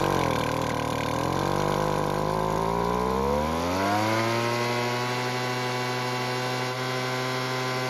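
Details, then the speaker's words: Weed Eater leaf blower, small two-stroke, after carb tuning with the L (idle) screw turned out a quarter turn for more fuel: uneven sputter, then revs climb to a steady even buzz; now starts and runs normally. "And luckily with a bit of tuning and mainly adding more fuel with the L screw, it now starts and runs."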